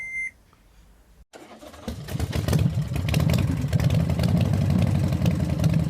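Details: Toyota FJ Cruiser left cranking but not starting after removed parts were refitted (B2784 antenna coil circuit open, immobilizer): short beep, brief crank, then engine catches and settles into a steady even idle; starts and runs normally.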